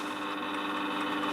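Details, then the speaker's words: Warburton Franki WF 2 E timeswitch after cleaning, motor-driven mechanism running: steady high whirring gear hum with faint chatter, louder than it should be; not seized, sounds dry, may need greasing (suspected). "is a bit of a loud one it's not seized but it might need a bit of a greasing it just sounds dry"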